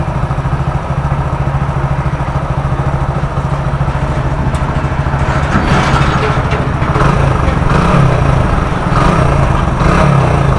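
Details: Hero Splendor Plus single-cylinder after engine repair for crank noise: steady putter of about three beats a second, revs rising slightly, with no knock or rattle; it idles cleanly.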